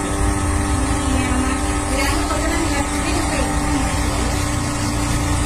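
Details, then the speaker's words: Inverter cooling fan making a loud, steady droning whir with a rough low rumble, far too noisy; fan sound problem awaiting repair. "అది దీనికి విపరీతమైన fan sound వస్తుంది"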